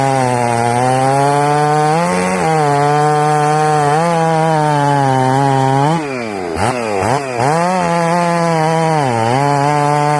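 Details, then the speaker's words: Ported Jonsered 630/266 chainsaw built in winter, earlier air leaks and carburetor issues solved, cutting wood two weeks before a later crank/bearing failure: strong, steady high-pitched scream that bogs slightly and recovers in the cut; healthy running saw. "okay as you can see in that video good running saw i built that saw in winter"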